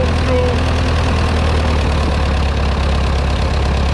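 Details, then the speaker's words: Ferguson TO20 tractor four-cylinder after a points-to-electronic-ignition conversion, throttle fully down, timing not yet set: a slow, steady low idle with even firing on all four cylinders and no misses or knocks, much better than before; normal idle. "it's actually firing on all four cylinders definitely not like before and turn like a kitten oh my gosh so much better"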